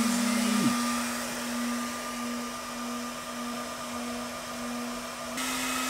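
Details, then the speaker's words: 1000 W 12 V power supply delivering 60 amps to charge a battery: loud steady roar with a constant hum under it as the cooling fan runs flat out under heavy load. "60 amps on the power supply which uh according to this thing [Music] oh my god [Music] sounds like it's gonna blow okay let's see here that is crazy"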